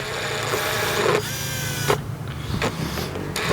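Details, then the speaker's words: R32 GT-R ATTESA 4WD pump, repaired by replacing pump assembly, powered by manually closing the relay: loud steady electric buzz cutting in and out as power switches; pump running properly. "you should hear your pump buzz. They're fairly loud, these four-wheel drive pumps."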